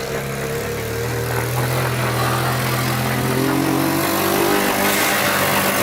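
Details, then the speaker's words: Abandoned Yamaha Breeze ATV on a cold Wisconsin day, test-driven after fixes: the engine pulls up smoothly through a rising rev and holds an even note under load, with no misfire or knocking. It runs, drives and all gears work; normal running. "well there we have it runs drives everything works"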